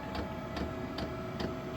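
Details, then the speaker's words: Diesel heater after 20 days of use, running on setting 3 at about 80°F: crisp, even ticks about every 0.4 s over a low steady hum, no diesel smell or fumes; fuel pump metering normally. "on number 3, but you can hear it ticking over sweetly, not a problem, no smell of diesel, no fumes or nothing,"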